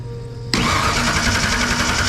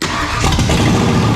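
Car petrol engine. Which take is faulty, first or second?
first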